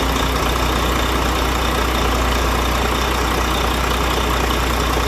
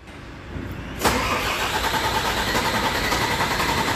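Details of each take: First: Diesel truck after bleeding air from the fuel system to cure hard starting: a steady, even, low idle rumble with no misses or stumbles. It now runs normally. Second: Volvo truck diesel cranking at a steady, fairly quick beat without catching: a long, hard start caused by air in the fuel system, fixed by bleeding the fuel.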